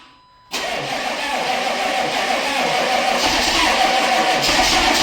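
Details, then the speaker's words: 1995 Chevy 3500 dump truck, 6.5L Detroit diesel, always a hard starter and sitting all winter: a long stretch of uneven, labouring cranking slowly gathers into a ragged run; hard cold start. "all right fire up oh here we go the 95 is always a hard starter it's been sitting all Winter though"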